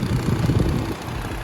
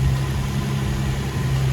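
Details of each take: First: Infiniti G35 coupe VQ engine, warm idle: low, uneven thudding from the radiator cooling fan, starting at a certain temperature or with the AC on and stopping when the fan stops; worn fan bearings, not engine knock. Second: Infiniti G35 coupe VQ engine idling with AC on after cooling fan part replacement that fixed knocking/rattling; steady smooth low hum, no banging or knocks. Normal idle.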